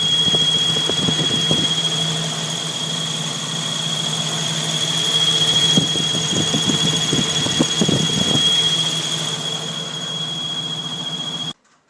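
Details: Jeep YJ 4.0L inline-six at idle: steady high-pitched squeal rides over the engine the whole time, unchanged by small idle swells; an accessory belt or pulley is likely, not confirmed.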